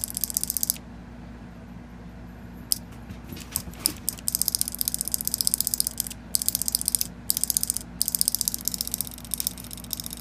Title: new 2014 proto maxxed rail. solenoid misfiring ???? help please